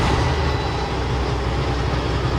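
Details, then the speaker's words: Heavy truck 10-speed manual transmission idling in neutral: rough, deep rattling growl that stops with the clutch pressed; transmission full of broken gear teeth, replaced with a rebuilt unit. "I don't know if you can hear that but it's like a rattling growling sound you mash the clutch in and the sound goes away let up on the clutch you can hear it making rocket again same thing mashed clutch down the sound goes away"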